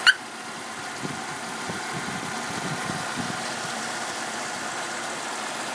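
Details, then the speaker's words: 2002 Saturn SC2 with a swapped-in 1.9 L SOHC engine: smooth, even engine hum at steady idle with no knocks, misses or ticking; normal idle. "it runs pretty damn smooth"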